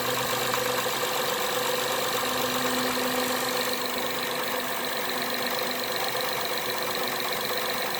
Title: 2012 Acura TL Engine Ticking Noise